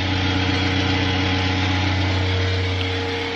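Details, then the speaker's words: Old oven: a steady motor drone with a low hum and a fast, even buzzing rattle on top. Traced to the cooling fan at the top of the oven; cleaning the rear fans had not helped. "I have ascertained that it is the cooling fan right at the top of the oven"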